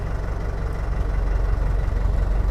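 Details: Monster 6X6 tubular off-road build with a Toyota Dyna 130 HT diesel engine, started in neutral with the AC on; deep even idle rumble with a light steady clatter, no miss or knock, normal.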